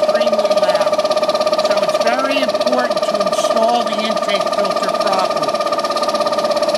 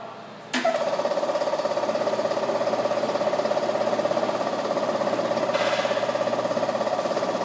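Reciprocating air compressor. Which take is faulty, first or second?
first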